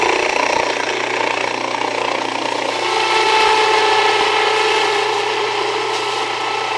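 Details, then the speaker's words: Jiffy Precision Mill, US-made electric steel burr grain grinder, with the burrs set very fine; motor hum with a hard rasp that deepens and strains as grain feeds, grain reluctant to pass; setting backed off, coarser grind then regrinding suggested; mill labouring on too-fine burr setting. "Now, a little bit slower. Yeah, I backed off just a little bit cuz it looks like not really wanting to go through. Go much slower."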